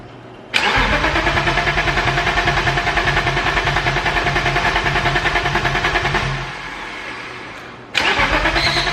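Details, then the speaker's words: Starter spins the engine for about six seconds without catching, then a brief second crank: BMW E34 525 restored after a blower motor fire, second attempt after swapping crank and cam sensors; fuel pump relay checked next, no relay activity. "Time to troubleshoot. We're gonna start with relays. I'm gonna jumper the fuel pump relay and make sure that we do in fact have a fuel pump that will kick on, and then we'll go from there."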